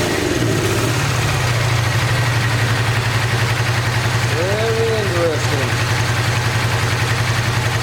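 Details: 1986 Honda VT500 Shadow V-twin, long-stored: stumbling, uneven exhaust pulse with the rear cylinder misfiring; owner believes airbox water is shorting the rear plug, which brake cleaner dries briefly, and rusty water is pushing from the radiator cap.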